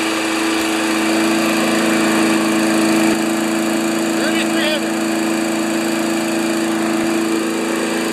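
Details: 1992 Wedgefield Briggs & Stratton Classic walk-behind mower at full throttle, settable rpm lever set to about 3360 rpm maximum: steady, even high-speed drone with no hunting or surging; normal healthy full-speed run.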